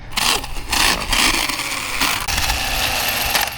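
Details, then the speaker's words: Hosim X08 1/10 brushless RC car after 58 mph run, hit dirt jump: rough rattling and clicking with each throttle blip; diff feared, but drive axle likely fell out. "that axle is not happy. That one's missing. So, yeah, I don't think we smoked the diff. I think the axle just fell out."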